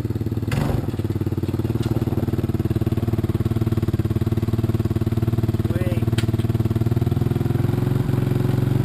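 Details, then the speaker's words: 1986 Honda TRX200SX single-cylinder quad just started after steering shaft repair, choke partly on: fast steady putter well above normal idle with raspy, spitting edge; idle set too high and cracked exhaust leaking. "think I got to turn the idle down oh got to turn the idle down"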